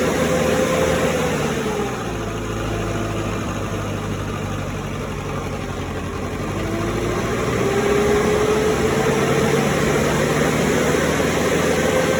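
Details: Cummins 3.3 QSB diesel from a stump grinder, run after rebuild with pistons, rings, rod and main bearings and head gasket (had oil from the blow-by tube), Insight connected: even idle clatter, faint turbo whistle dipping and returning, no knocking. Normal idle.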